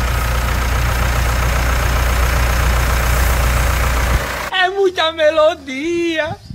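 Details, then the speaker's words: Mitsubishi Triton 2.4 4N15 diesel at 50,000 km, after a 10,000 km oil-change service, settles into a steady, even idle clatter with no odd knocks or misses; normal, healthy diesel idle. "senhoras e senhores vamos escutar a melodia desse motor 2.4 aqui"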